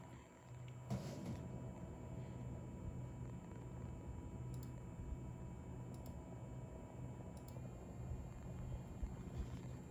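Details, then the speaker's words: Corsair iCUE H115i ELITE CAPELLIX AIO cooler pump in Balance mode in iCUE software at about 2430 rpm, phone held close: quiet constant low hum with faint steady whine, no rattle, gurgle or surging; pump holds speed stably, normal. "słychać takie brzęczenie teraz przełączymy na tryb Balance to są dedykowane tryby w oprogramowaniu Corsa IQ teraz mamy 2430 obrotów fajnie tutaj ta pompa trzyma te obroty stabilnie nie ma jakiegoś dużego ostrzału"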